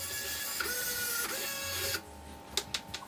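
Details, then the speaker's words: RC car winch on a full-power third-channel controller, cable held back by hand: strong, steady high-pitched gear whine for about two seconds that does not sag under load, then a few clicks; normal winch operation under load. "i am literally trying and trying and trying and trying to stop that going in and it won't"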